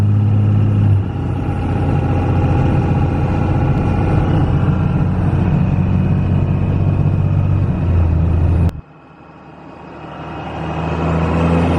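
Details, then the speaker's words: 2001 Cummins 5.9L 24-valve diesel truck on test drive after valve lash adjustment, in-cab: low smooth drone with no ticking or clatter over road noise; much quieter than before and running really well; normal. "Yeah, she's a lot quieter than she was before I did that. And she seems to be running really well."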